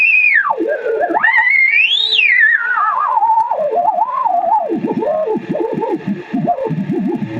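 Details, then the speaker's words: Vintage 1975 RCA WR-50B signal/sweep generator at 5 MHz, radiated via a small wire antenna into a radio: the whistling beat tone sweeps down and warbles into zero beat, matching the reference, confirmed at exactly 5 MHz on a counter. "called the zero beat. So these frequencies are exactly the same."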